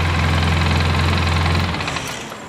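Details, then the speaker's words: Polaris Sportsman 700 after head gasket replacement, briefly run while checking the water pump: steady, even low drone with no misses, then smooth wind-down at shutoff; runs well but overheats after 3-5 minutes, radiator suspected plugged. "I could start it up for you, just show you guys for a second, as long as you don't let it run too long. Runs good."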